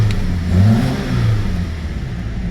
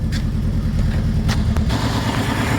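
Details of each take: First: 2009 Saturn Aura 2.4 Ecotec four-cylinder petrol after fixing a crank-no-start, now with all four injectors plugged back in: runs smoothly and revs cleanly, no misfire. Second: 2009 Saturn Aura 2.4 Ecotec that cranked but wouldn't start, now running: rough uneven idle with stumbling thump, a misfire because one fuel injector was left unplugged.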